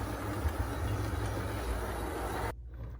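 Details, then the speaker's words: Bowser/Penn Line T-1 4-4-4-4 model locomotive kit built from two kits, spring holder dislodged, valve gear not yet fitted: small motor whirs briefly then cuts out abruptly, intermittent running with a gallop, cause not found. "I like intermittent things. Reminds me of my computer from 1998. Reminds me of the newfangled electronically controlled cars. Sounds like it's got a bit of a gallop to it."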